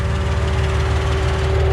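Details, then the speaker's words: Engine idling near operating temperature with AC delete and radiator fan running after losing a coolant reservoir: steady low drone and constant hum with noticeable vibration and noise; cause not yet found. "have something going on over here that is causing pretty good vibration [Music] and a pretty good noise but we're almost up to operate the temperature"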